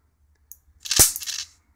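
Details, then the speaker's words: Mitsubishi Diamond Plus 93 SB CRT monitor, flyback with built-in capacitor tested in circuit. A single loud crackling snap lasting about half a second over a quiet background, a plasma-like arc of about 25–30 mm. Healthy high voltage from the flyback. "every now and again you hear it come in with the uh plasma sort of sound"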